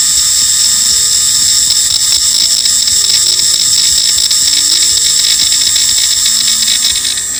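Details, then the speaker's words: WM210V lathe BLDC spindle motor at maximum speed, before bearing replacement: high steady whine with rough metallic rasp; first suspected the fan, found the rear bearing noisy, later replaced with Koyo 6002ZZCM; spindle motor bearing noise. "Надеюсь, было слышно на максимальных оборотах, как шумит задний подшипник."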